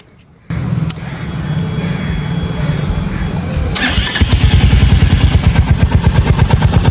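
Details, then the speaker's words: Royal Enfield Hunter 350 after draining water from spark plug cap that caused misfiring and current leakage on starting: starter catches at once, steady even single-cylinder thump at idle, no stumbling; starts and runs cleanly. "आप लोग देख सकते हैं कि bike start हो चुकी है।"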